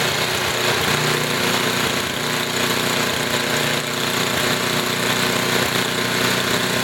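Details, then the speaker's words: Small engine with Tecumseh carburetor after tuning high-speed and idle mixture screws, idle speed raised slightly: low, even putter with steady beat, no misses or surging; normal idle just above stall. "I'm gonna turn it back down to idle here and this is what a decent idling engine should sound like it's a little bit low so I turn it up just slightly"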